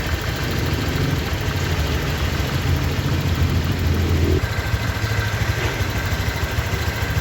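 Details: 2023 Honda Vario 125 new scooter at just over 1,000 km, idling: low, steady, even soft pulse, no knocks or rattles; owner reckons it runs smoother than at 500 km, crediting correct break-in. Normal idle.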